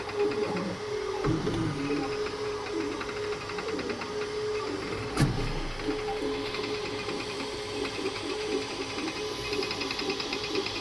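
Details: Creality K2 Plus 3D printer, about a week of use, firmware updated 2025-05-01, printing unusually slowly (owner unsure if print setting is why): stepper motors whine and warble with a rattly buzz that comes and goes; owner thinks it sounds different, cause unknown.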